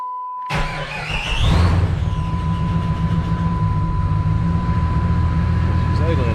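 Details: Jeep Grand Cherokee ZJ, sat for months, battery weak after charging, restart after window repair: engine catches, briefly flares, then settles into steady, even idle over constant door chime; running normally.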